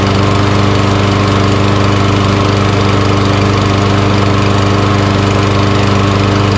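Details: Lawn mower with auto-choke engine, sat in the shed all year, fresh gas added, runs steady and even at about 214 beats a minute, no misses or knocks; healthy running.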